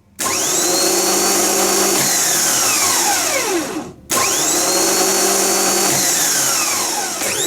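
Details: Rebuilt Bosch starter motor from a BMW 740 (M60) bench-tested after cleaning, greasing and a new brush holder; spins up fast in two short bursts, winds down smoothly with no grinding. Normal free spin.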